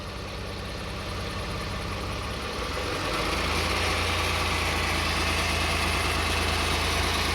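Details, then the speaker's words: Car idling with a light throttle blip right after a transmission fluid change (about 3.4–3.7 L) plus an additive. A steady low buzz persists; the source is unconfirmed, and the owner hopes the additive helps after 100–200 km. "You hear that buzzing sound still there."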